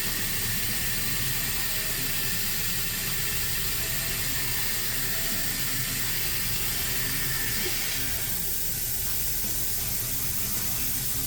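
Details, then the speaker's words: Truck's PTO/dump control valve on the end-dump tower, blown internal seal while driving on the highway: loud, continuous hiss of air escaping from the valve's side, draining the air tanks; fixed by replacing the whole control valve. "That's where the air is coming from. Which tells me everything's hooked up, so we're good with our air lines, but the internal parts of this thing, we lost the seal."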